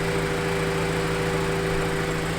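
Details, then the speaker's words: Honda CRX, sat for a long time, idling to warm up and purge coolant air: steady, even hum with no whine, grind or bearing chatter; owner hears nothing suggesting a failed water pump, bubbles appearing, pump judged good. "mean, I don't hear any weird sounds like the water pump's out. So I'm starting to see some bubbles now, so I think the water pump is good."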